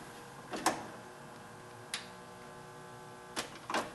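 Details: Sony 5-disc CD changer, given away broken, playing through an amplifier: scattered clicks and short whirring bursts in a quiet room as the mechanism jams and never reads a disc; later found to need optics cleaning.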